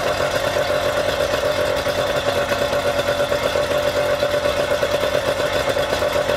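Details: Yamaha outboard run out of the water on a two-sided dual-entry flush muff with water flowing: steady, even idle with a constant mid-pitch hum, no knocks or misses; this muff worked surprisingly well; normal idle.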